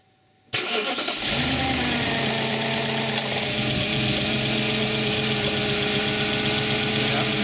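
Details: Audi S4 4.2 V8 (B6/B7, 2003-2008) started after fresh oil refill, ignition on 30-60 s first to avoid cam chain rattle from oil starvation: catches after a short crank, settles into smooth even idle, no rattle or tapping; normal start and idle.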